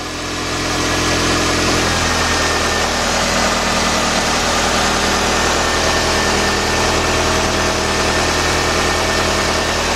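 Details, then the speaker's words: 1993 Nissan Altima after new alternator install, now charging and warning lights out, idling about five minutes for a black-light oil-leak check: steady, even idle, a smooth unbroken hum with no knocks or ticks. The engine runs cleanly. "we know it's charging now we're going to be doing we're gonna let it run for like five minutes"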